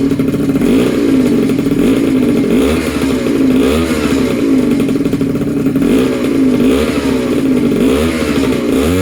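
Small two-stroke buzzing high and steady, revs rising and falling cleanly in repeated blips, no knocking or rattle; runs healthy.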